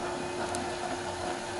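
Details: Bag-hauling golf cart on new 4s15p 18650 lithium battery, run faster via remote: smooth even electric hum with light gear whir, no knocks or rattles; motors running normally.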